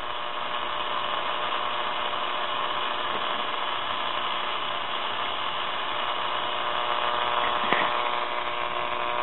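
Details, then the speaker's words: Dynavox wireless record player, first power-up after the filter capacitor was replaced, warmed up with the turntable motor off: a steady, even hum with light hiss on the radio, the transmitter's carrier coming through cleanly. "yep there it is so we have a carrier"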